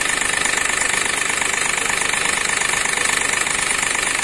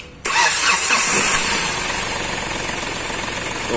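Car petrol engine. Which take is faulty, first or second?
first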